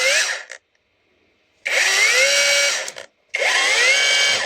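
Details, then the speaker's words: Parkside Performance 20V cordless drill from a lot of faulty tools, run on an old 2Ah battery; two short bursts of wavering, uneven high whine as it spins up; runs but makes odd noises, needs a good overhaul. "mais normalement voilà cel il marche c'est étonnant il fait des bruits"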